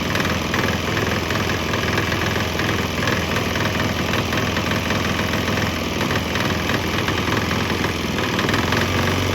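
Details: Swan X 165F Chinese single-cylinder diesel idling on a 50% used motor oil / 50% diesel mix; fairly steady thump.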